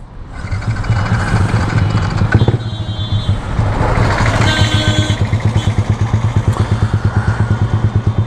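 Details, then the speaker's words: Yamaha R15 V3 after new camshaft and new ECU fitted, tuning still not right: lumpy, uneven idle that hunts and sags after start; rough idle from untuned fueling, needs a lot of tuning work. "If you can see, it's not idling properly right now, so it requires a lot of tuning, it requires a lot of work."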